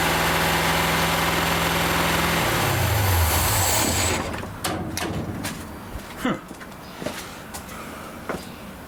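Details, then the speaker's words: Rat rod engine just after carb cleaned and refitted: holds a fast steady idle, then drops away and stops, leaving light tapping; tickover won't come down, owner suspects jets, gasket set, or a power valve not working at full efficiency. "I cannot get the tickover down for some weird reason I could just be because the Jets it could be because the gaset set needs replacing"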